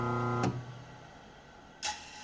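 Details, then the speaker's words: Grizzly G4003 lathe motor run with no load: steady electric hum then a hard clunk or slam at startup, motor poorly balanced. "Kind of clunks a little when it first starts out, it really slams. And it sure as hell ain't in that great of balance."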